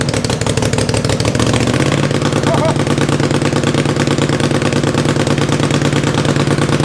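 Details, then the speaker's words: 500cc racing mower engine at first run, steady chuffing single at about three beats a second, then the pitch steps up as it revs on its own; owner assumes it is running out of fuel, unconfirmed. "i think it started revving up because i'm starting to run out of fuel i'm assuming"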